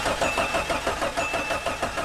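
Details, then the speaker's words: Jeep Cherokee donor engine cranking: starter turns it over in steady pulses, about five a second, with no firing; spark confirmed, fuel at rail possibly old, a loose spark plug found, cause not confirmed. "that means we only have spark we only have fuel and there should be air should not be a problem so let's see"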